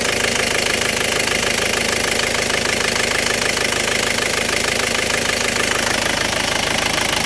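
Diesel runs with a hard, regular knock about twice a second over a harsh clatter; rough running, cause not yet pinned down. Cause suspected, not confirmed.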